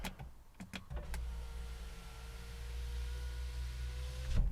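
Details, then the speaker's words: BMW E90 rear power window after rear regulator replacement, during the service initialization procedure: smooth, steady motor hum with a slight rising note as the glass travels, no grinding or clicking; window opens and closes normally. "look at this procedure has started windows opening and closing okay without a fault occurring toll function okay so just go up and down"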